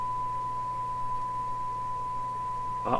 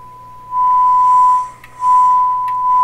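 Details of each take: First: Canadian Marconi Model 93 radio during shortwave band alignment with a signal generator, five removed capacitors tested first: a pure, steady high whistle over low mains hum with scratchy crackles; a sudden horrible sound, cause unknown, set very insensitive. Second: Canadian Marconi Model 93 radio during shortwave band front-end alignment, tuned between 1.6 and 1.8 on the dial: a steady, clean high test-tone whistle comes through loud over faint hiss; the set already seems more sensitive.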